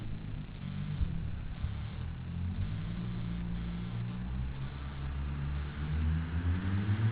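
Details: Mitsubishi Starion at high speed under hard acceleration: deep engine roar climbing with speed, broken by brief stumbles and uneven surges of a misfire under load.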